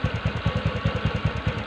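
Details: TVS Ntorq BS6 scooter after kick start, auto choke raising then lowering rpm: even low putter, about eight firing beats a second, steady with no misses; idles cleanly.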